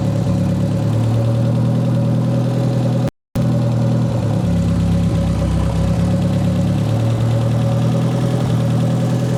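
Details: "!200" engine idling after exhaust cut: low note wavers and shifts unevenly, never settling. Alternator 14 V, owner doubts a bad sensor. Stumbling misfire, cause unknown.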